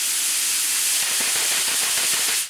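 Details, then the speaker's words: Cheap paint spray gun with thinner in the cup and air connected: steady airy hiss with faint rapid bubbling pulses as air leaks past the misaligned air orifice piece under the air cap; air leak into fluid path. "See, that is air leak into the fluid path."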